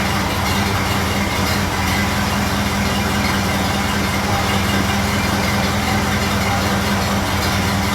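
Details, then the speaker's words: Model A Ford after exhaust manifold gasket replacement, idle just adjusted down: low, even four-cylinder idle with smooth steady beat and no ticks or leak puffing; sounding good. "Sounding pretty good at the moment, but I'm going to be quick. That's what she's sounding like from the back."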